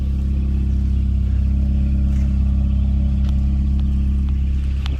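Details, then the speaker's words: K24A swapped into a DC2 Integra, cold start, running E85 on stock injectors with a 3-inch intake and exhaust: steady, even low idle with smooth unbroken drone, no knocks or misses; clutch release bearing adds slight noise. "But she does run. And I got her idling good."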